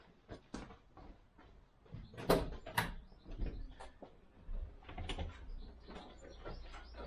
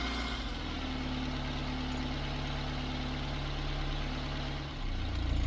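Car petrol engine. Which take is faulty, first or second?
first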